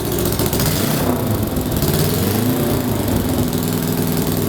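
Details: 1966 Honda CL77 305cc twin with 180-degree crank, freshly kick-started, idling with snuff nuts closed: crisp, even idle with steady uneven-firing lope, no knocks or rattles; healthy normal idle.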